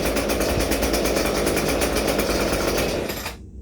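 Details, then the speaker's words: ECHO SRM-230 two-stroke trimmer after a spark plug change and a half-choke start, no throttle applied: fast, fairly steady buzzing idle, about four pulses a second, no choke sputter, then cuts off; normal idle. "But you see, I didn't even give it gas. I got this sucker running pretty good."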